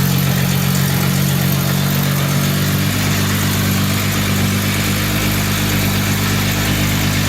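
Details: 1952 Jaguar XK120 FHC, first start in 40 years after Lucas C45PVS generator rebuild, starting carburetor in use, good oil pressure: even, steady idle with smooth low burble settling slightly partway through, no knocks or misses; healthy.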